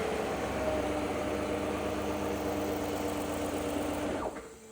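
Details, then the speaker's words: Cadillac Escalade V8 after lifter replacement with Elgin lifters instead of ACDelco: smooth, even, very quiet hum like an electric motor, no ticking or knocking, then clean shutdown; normal idle. "Quiet as a mouse, isn't it? In fact, it's so quiet it almost sounds like an electric motor."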